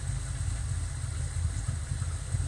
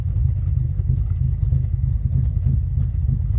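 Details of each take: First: Fox Body V8 at idle with large long-term fuel trims: a deep, uneven, lumpy beat with small stumbles. Rough idle; the owner calls it stumbly, thinks it probably needs a tune and suspects very old O2 sensors. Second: Warm Fox Body V8, mostly stock with a B cam, Flowmasters and chopped exhaust, idle fuel trims near zero: a deep, loping idle at about three pulses a second, steady underneath. A normal lumpy cam idle.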